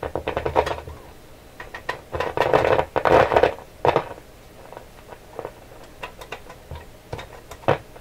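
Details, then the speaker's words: Canadian General Electric KL-96 radio, paper capacitors replaced, warmed up: tapping the table gives a hollow clunk with brief ringing through the speaker; one tube is microphonic, likely its loose shield can. "Something's really sensitive. What is so sensitive on here? This one's microphonic. This tube here. It's a loose can."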